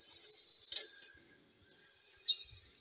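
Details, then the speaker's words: Mk3 horizontal stationary Stirling engine, running well as the fire dies down, after fitting brass piston guides, lubricators, a mild-steel annular regenerator and new seal support rings: irregular high thin squeaks over a quiet engine, then a dull knock; owner suspects heated brass turning soft and grippy on the steel. "there is quite a lot of squeaking going on it"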